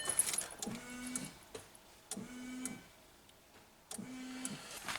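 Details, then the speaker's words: VW Golf 5 rear wiper: relay clicks with brief hum on three tries but motor doesn't sweep; suspected seized motor or tripped thermal fuse, then broken wires in tailgate harness conduit. "не щолки спрацьовує але але не реагує іреле щолкає Ну щоче в сього моторчик заклинев О там є термозапобіжник тобто якщо моторчик клине термозапобіжник вилітає"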